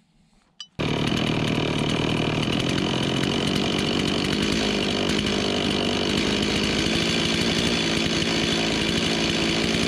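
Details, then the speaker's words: Chainsaw with a newly installed carburetor before carb tuning: steady high-pitched scream, slow to come down off high throttle, which a subscriber suggested means running lean; idle to be set near 2800 rpm, full throttle near 14,000. "He told me it sounded like it was running lean. It's taking a long time to come from letting off the high throttle to the time that it would come down."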